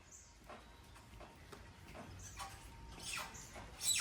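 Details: Car suspension squeak heard as the body is rocked. High, chirpy squeaks about once a second.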